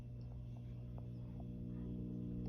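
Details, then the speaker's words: Mojo Tone 5E3 tweed Deluxe amp build, nothing plugged in, first filter cap replaced with 30uF which helped a bit: constant low hum with stacked deep tones under faint static, barely changing with knobs; source not yet traced. "it's a very low hum coming out of the speaker nothing's plugged in"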